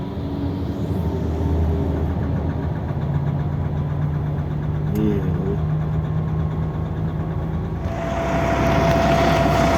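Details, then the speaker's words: Dongfeng Euro-6 transitional truck without retarder, diesel at idle: uneven tapping knock over steady clatter, knock persisting after repair attempt, cause unknown. "Денис мотор как стучал так и стучит"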